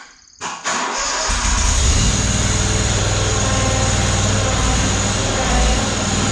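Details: Ferris ISX 3300 mower after fixing seized idler pulley, burned belt and binding wheel spindle, cold start: cranks briefly, catches within a second, settles to a steady, even idle with no knocks or rattles; healthy.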